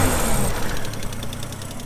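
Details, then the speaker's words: Nissan R31 drift car with new turbo hot side: rough turbo petrol idle with a fast faint ticking puff from an exhaust leak at a wastegate flange gasket; turbo sounds unhappy. "So you can still hear that turbo is certainly not very happy, and I've developed a bit of an exhaust leak from one of the wastegate flanges, which is understandable considering the gaskets that I used when we did that."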